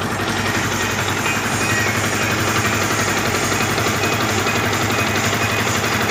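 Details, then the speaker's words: 2010 Yamaha Vixion, engine running. A rough, fast rattle of about four beats a second that disappears when the clutch lever is pulled; clutch housing rubbers found loose, the housing wobbling by hand. "oke kira-kira suaranya seperti ini ed Tapi saat ditarik koplingnya hilang"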